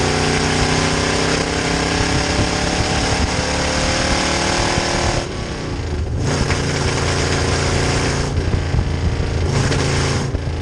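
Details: 1966 Chevy C10 rat rod V8 with rebuilt carb on test drive: runs rough under load, drops out in sudden sags then recovers; fuel pressure held at idle and cruise but weak pump can't refill carb bowls, mimicking ignition fault.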